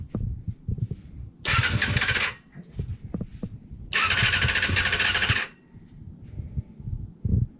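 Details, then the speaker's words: Kawasaki ZXR 250, first start attempt in 18 years after oil change and lube in the cylinders: two bursts of cranking with uneven puffs between them; the engine tries to fire but doesn't catch. "let's try it she turns over nothing as of yet"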